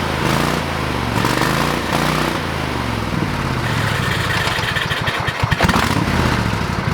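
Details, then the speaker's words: Old lawn mower, still on old gas in the tank: catches and settles into a steady run, speed rising and falling as it is driven, no misses or knocks; running normally. "fire's right up now we're good to go i probably need to put some fresh gas in the tank so we're not running old gas through the motor"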